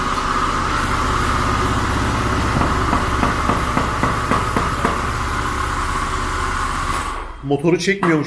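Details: Honda Spacy scooter engine running steadily with an irregular light tapping for a few seconds. The owner reports an engine noise and oil leaks that earlier repairs did not fix; the cause is not yet clear.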